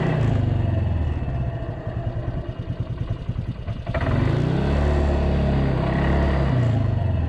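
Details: Polaris 300 Sportsman single-cylinder quad after new drive belt, rear bushing and coil: idles with an even low thump, blips up smoothly around four seconds and settles back; rain in background; runs healthy.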